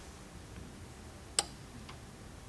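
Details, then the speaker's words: 2004 Chevy Trailblazer crank no-start, fuel pump commanded by scan tool: one sharp relay click, then no pump hum; relay works but pump gets no power, pump connector suspected. "all right so we have fuel pump relay click but I do not hear the fuel pump whatsoever"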